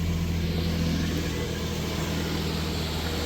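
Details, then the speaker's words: 2016 Nissan Frontier 4.0 V6 manual, after alternator replacement (new tensioner and belt hadn't fixed chirp): steady, even engine run with no chirp or squeal; quiet, normal belt drive. "and it is [Music] quiet oh my God so I bought this truck like a year and a half ago and basically since then it has chirped at least some"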